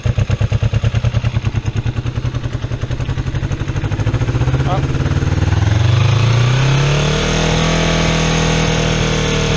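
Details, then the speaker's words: Kawasaki EX250 Ninja motorcycle after carburetor cleaning, leaned out, still smoking off rich fuel: slow uneven idle that runs high when raised and wants to stall when lowered, hunting because the pilot (idle) mixture screws need adjusting. "you see how when I turn the idle up high it'll run real high and then if I turn the idle down a little bit it'll come down and then want to stall and I can't find that good balance reason I can't find that good balance is because the idle mixture screws"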